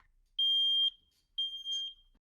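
Two loud, piercing high beeps about half a second long: a smoke alarm sounding properly on test.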